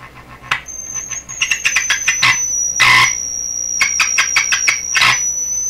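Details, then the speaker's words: Deforest 10DA517 tube AM radio fitted with glass tubes instead of the specified metal ones; a piercing high squeal holds, then jumps in pitch amid clicks and crackles as the set is handled and tuned, oscillating, suspected poor tube pin contact. "I think I should try tuning the [Laughter] radio wow that's screaming out to put a shield back on"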